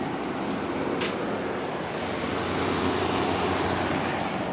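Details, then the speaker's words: Window air conditioner after fan motor bearing replacement, previously noisy after storage: steady even rush of air over a low hum, no squeal or rattle; fan running quietly and normally. "mostly very quiet was noisy before but very quiet"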